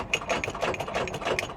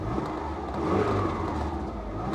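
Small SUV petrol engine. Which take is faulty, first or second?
first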